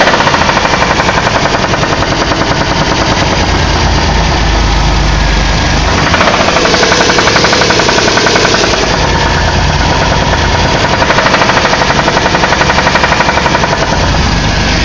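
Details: Engine knock on a 2001 Caravan: heavy knocking repeats about four times a second over a loud running engine, uneven but persistent; cause unknown.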